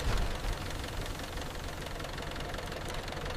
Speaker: If you hear this knocking sound, stop driving immediately. This is called rod knock, one of the most dangerous engine noises.